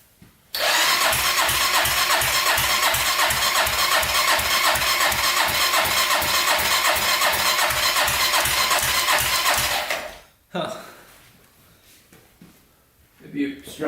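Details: 1999 Honda 400ex carbureted quad during turbo install, water line unhooked: about ten seconds of even starter whir, nearly three turns a second, no firing; cranks but won't start, fuel not being pulled up suspected.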